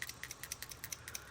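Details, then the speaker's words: Subaru EJ251 2.5 engine PCV valve shake test, from a 2000 Impreza 2.5RS: quick, light clicks about eight a second from a free-moving plunger; the old valve, overdue by 5,000 miles, sounds the same as the new one. "That's the new one. And they sound pretty much the same."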